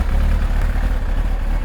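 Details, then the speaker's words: Kawasaki ZX-9R just after oil and filter change, choke off, slightly warm: steady low four-cylinder idle with even beat, no ticking or rattles; normal idle. "it's always a satisfying satisfactory it's always a satisfying feeling after you've done an oil change on a motorcycle or a car and you start it up for the first time knowing that it's got fresh oil pretty pretty sweet yeah she sounds good"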